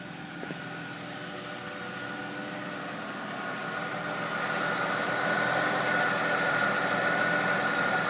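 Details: Mercedes ML at idle, slightly rough: a steady beat about three per second over a whirring hiss that grows louder; owner suspects a belt, cause unconfirmed.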